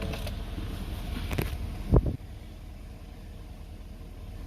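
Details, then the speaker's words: 2019 Ford F350 6.7 Powerstroke diesel, warm, idling a few seconds after fuel filter changes and priming; low, even rumble settles into a smooth idle after one brief handling clatter, with no misses or knocks. "I let it run a couple of seconds. Mine's warm."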